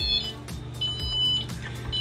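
Short high electronic chirps over a low steady hum, with no repeating alarm pattern; the control system powers up normally.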